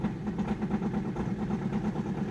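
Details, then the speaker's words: Opel Astra 1.9 diesel with a winter no-start, after repair and warming the glow plugs: it starts and idles with a steady, even clatter and no misses. The repair was successful. "Yes, well, this repair was successful."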